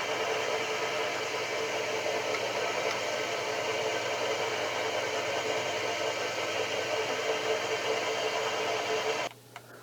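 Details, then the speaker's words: Fobco (Pollard) Corona 2FX pedestal drill with a No. 2 Morse taper, mounted on a new base: a steady, even hum and fan rush with no knocks or rattles until it cuts off; the motor runs smoothly and relatively quietly. "like I said it runs uh relatively quiet with a with the two Mar taper"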